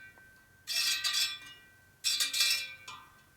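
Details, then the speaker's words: 1972 Harley XL Sportster wheel being laced and trued, spoke torques equalized: light metallic ticks as the rim brushes the pointer once per turn, fading as spokes are evened; rim out of true, improving. "Trying to equalize the torques as we're going here also. So you can hear how it's getting better."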